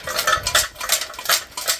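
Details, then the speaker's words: Smart Car catalytic converter removed during engine teardown (broken turbo, valves): loose, tinny clattering as it is shaken, broken internals tumbling, not the collets; substrate destroyed, fairly new cat needs replacing. "uh has eaten itself you can hear that that's not the uh not the uh collets and bits and pieces making that but it's the inside of the catalytic converter um it's totally knackered"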